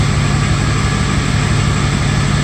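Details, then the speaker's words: 2005 truck with an intermittent no-start in rain, after its remote start was removed, fully cold at 73 degrees: fires right up into a low, steady, even idle with no misses, knocks or hunting; normal idle. "but once again it fired up fired up all good"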